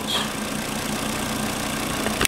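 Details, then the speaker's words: 2007 Volvo XC70 2.5 L turbo, automatic, AWD, about 36,000 miles: smooth even idle, steady low hum, no knocks or misses; engine running cleanly. "good afternoon and welcome to Tom's foreign auto parts video portion of our inventory as you can hear we have an excellent running 2007 volvo xc70"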